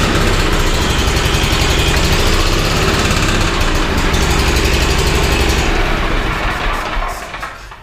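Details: Bandit SG-40 stump grinder engine, refilled after taking a lot of oil: hard, rapid pounding at about four per second for several seconds, then it winds down and stops; owners suspect a thrown rod or a hole in the block.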